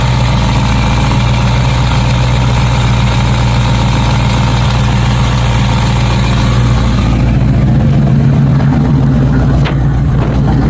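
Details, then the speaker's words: Small-block Chevy Camaro after a fuel pump replacement, with an inline filter, following a bad tank of wrong fuel; fuel pressure 6 psi. Steady, even V8 idle with a deep lumpy burble and no misses or knocks; running much nicer. "So that's the running 6 psi. She seems to be running a lot nicer on the tune now."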